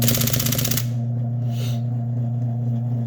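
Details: IBM Selectric typewriter space bar repeating because its mechanism is gummed up with old grease: a rapid run of about ten sharp clacks over motor hum, then it stops.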